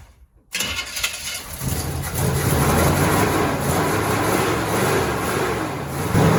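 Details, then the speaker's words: 1966 Chevy big-block truck with new starter and battery, run on a little poured gasoline: catches after a brief crank, then steady even idle with a few revs, no knocks or misses; sounds healthy. "it doesn't sound too bad actually now that i listen to it"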